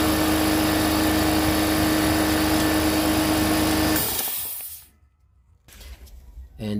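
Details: Air compressor restarted at about 20-27 psi after resealing a leaking fitting with thread paste: steady, even motor drone with a constant hum for four seconds, then it winds down and stops. Runs normally.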